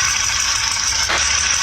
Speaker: The sound of damaged engine valves.